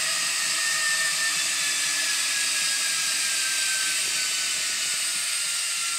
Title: Noisy Hotpoint Washing Machine